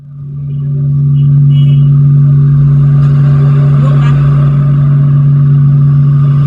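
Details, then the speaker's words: Mains hum from an assembled (DIY) power amplifier at full volume with music paused: moving the input cable's position brings up a loud, steady low hum that swells within a second and holds, so input cable routing must be exactly right. "pindah posisi dengung, jadi harus benar-benar sama."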